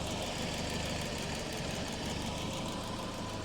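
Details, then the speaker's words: Boosted Ford 2000 RS Cosworth replica with freshly rebuilt forged engine, idling up to temperature with fan running, battery voltage dropping; low, soft idle under fan noise, no knocking or ticking, quiet healthy idle. "We're in real time, everybody. That is a quiet quiet engine."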